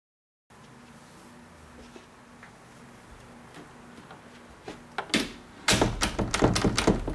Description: You know...chattering door, / a door that rattles back & forth after it's closed.